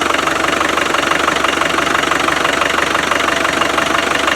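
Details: Land Rover Defender 300Tdi after power steering pump replacement, filled with ATF: even diesel clatter about four beats a second, no missed beats or knocks; normal diesel idle.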